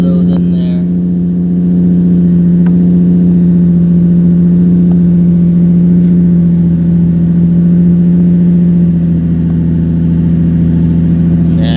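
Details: 2005 Infiniti G35 Coupe Rev Up, run after about a year of sitting, service engine light on: smooth deep exhaust drone at steady idle with a slight swell midway, even firing, no ticks or rattles; normal idle.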